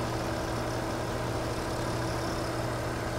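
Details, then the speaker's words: 2002 BMW 330i with intermittent lean faults: steady idle with loud even hiss from a leaking vacuum hose being moved; short-term fuel trims respond, hose suspected as the lean-condition cause. "I'm gonna let you guys listen to the hiss while I play with this hose"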